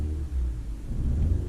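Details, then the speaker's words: 2009 Ford Fiesta Mk7 1.25 petrol with engine management light after driving through flood water, idles fine; uneven rumbling and stumbling when revved; engine misfire under revving. "oh she's struggling so we've got a engine misfire engine management light on"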